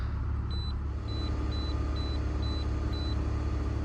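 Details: 2001 BMW E46 2.5 automatic after repairing P0171/P0174 lean and misfire codes and resealing the valve cover, fuel trims near zero: low, steady, even idle with no stumble or hunting, plus a few short beeps; a normal idle.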